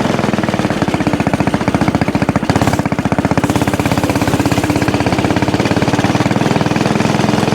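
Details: Axis/Coleman M200 mini bike, 196cc single, tuned 22mm Mikuni carb with needle raised, exhaust, governor delete, flat out at about 31 mph GPS max: steady buzzing pitch stops climbing, capped at the top; owner suspects stock valve springs floating.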